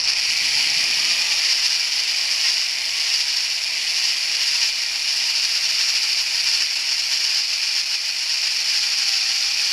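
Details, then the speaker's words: Drilling hardened steel motorcycle light brackets, around a 5/32 bit, with oil: steady high drilling hiss with faint, uneven knocking chatter as the bit grabs, risking snapping the bit. "When you hear it knocking like that, it's grabbing, and you want to just be careful it doesn't grab and snap the drill bit off."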